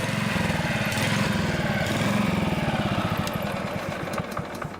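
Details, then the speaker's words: Honda HR215 HM lawnmower, warmed up, hard to start and runs only on choke: the single cylinder putters unevenly, surging at both low and high speed, from a clogged carburetor slow jet. "surgeries that both slow speed and high-speed operation we obviously have a fuel delivery problem going on here"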